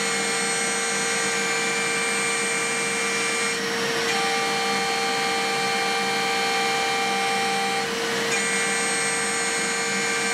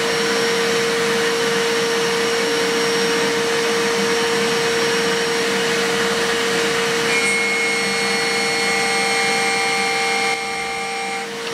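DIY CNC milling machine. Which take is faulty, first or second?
first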